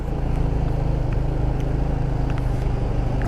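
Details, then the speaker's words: GY6 Icebear Hawkeye 150cc scooter, warmed up, after valve adjustment (previously died at every stop); low, steady putter at idle with no hunting or stalling, holding idle without throttle help. "i mean i started her she's already warmed up but yeah no more babysitting the throttle"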